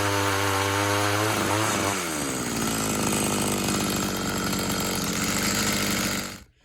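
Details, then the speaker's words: Tecumseh TC300 two-stroke ice auger after new piston rings, compression just over 90 psi: revs up cleanly, then holds a steady high buzz pulling under load without stumbling; normal running under load. "hey guys thanks for watching the video as you saw there it seems to be working pretty well"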